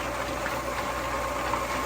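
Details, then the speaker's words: Rebuilt homemade rock tumbler with new bearings: steady even motor hum with soft rolling rustle of rocks, about 75–76 dB versus near 90 before; bearings were the noisy part; now much quieter. "now we're around 75-76 with the same barrels I would say that's much better"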